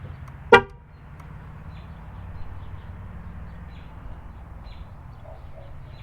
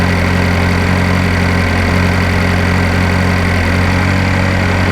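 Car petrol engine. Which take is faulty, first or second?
first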